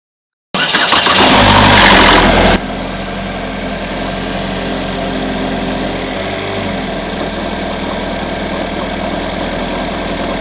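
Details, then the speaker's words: 2012 GMC Terrain 2.4 engine, about 124,000 miles, codes P0016/P0017, cold start after sitting overnight: loud harsh metallic rattle from the front cover for about two seconds, then idle; suspected stretched timing chain from sludged tensioner oil gallery. "and then once we get a lack of tension on that chain the timing chain will stretch so it's most likely what we're hearing a stretch time and chain rattle noise"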